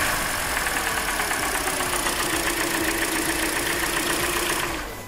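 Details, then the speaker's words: Hyundai Elantra 1.8, 69k miles: steady light ticking, three or four per second at idle, persists with cylinders 3 and 4 disconnected; louder when cold, quieter warm; owner suspects piston slap, unconfirmed; oil change later improved it dramatically. "We're going to hear it less. And when it gets warm, you can hear it less too. In cold weather, you'll be able to notice it more."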